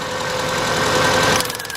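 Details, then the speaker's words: 2000 Subaru Impreza Outback 2.2 with new plugs and wires, customer suspects burnt valve: lumpy, uneven idle with irregular stumbles and knocking beats while plug wires are pulled one at a time; misfire, rough idle. "what we're looking for is that we see us got a misfire so now we're gonna pull off one wire at a time to see if the engine do not change"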